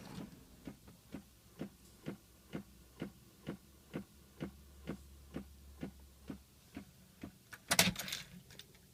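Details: 2006 Pontiac Solstice: steady, even clicking about twice per second over faint low hum, present all the time since the battery was changed; cause unknown.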